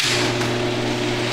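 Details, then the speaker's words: Older Genie screw-drive garage door opener, newer than the 1990s unit: steady loud motor drone with low hum and rattling hiss; notoriously loud screw drive running normally. "I'm sorry but that is ridiculously loud those screw drive garage door openers are just notoriously loud"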